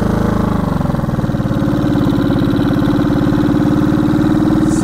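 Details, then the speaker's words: 1970 Honda CB350 twin after sitting a year, riding: uneven pulses, revs climb slowly under throttle, boggy instead of pulling from first; owner suspects old gas or low battery. "yeah she's bogging bogging a little bit old gas maybe I don't know little boggy like she should rip out of first"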